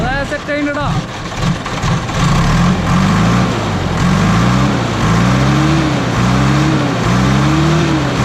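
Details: JCB backhoe loader diesel after bleeding air from the fuel line and tightening the fittings. A short crank, then it catches at once and runs steady with a couple of light revs, with no stumbling or dying. This is a normal start and idle.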